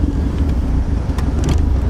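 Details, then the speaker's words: Series 1 RS Turbo at idle with the throttle untouched, surging and felt like missing on the drive over; owner doubts it's fuel. A deep heavy rumble that wavers and pulses unevenly, sounding ready to die; rough idle, cause unclear. "the car is acting a bit funny my uh throttle is exactly as is and it's like surging a little bit to be fair on the way over it did feel like it was missing a little bit"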